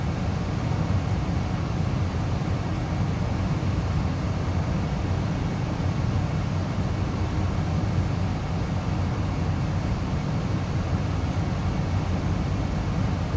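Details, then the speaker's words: Amana 95 IIQ two-stage variable-speed gas furnace after burner shutdown: steady low airy blower rumble, no rattles or scraping, as it runs on cooling the heat exchanger and slowly, smoothly turns off; normal cool-down run-on. "So right now it's basically just cooling the heat exchanger. And I really like the way this thing shuts down because it's a very, it's not jarring at all. Like it slowly turns off."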